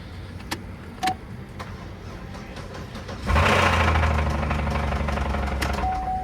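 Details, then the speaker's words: Auction car, cranked after fuses and relays refitted, oil present: a few clicks, then it catches with a steady knock about four per second over idle; suspected rod knock, not confirmed. "so it's not electrical so i've never put an auction light it sounds like a blowed up motor let's crank it again it sounds like a rod knock"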